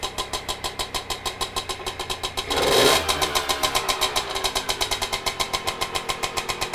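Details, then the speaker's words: Aprilia AF-1 50 two-stroke barn find, first start after sitting about a decade: crisp regular popping at fast idle, a quick rev blip, settling back evenly; "this is a runner", running normally. "what a girl this is a runner"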